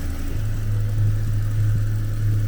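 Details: Small Vauxhall petrol engine, previously running lean with code P0171, now idling normally after repair and a hard rev: steady, even low hum with no knocks, misses or hunting; fuel trims back within ±10%.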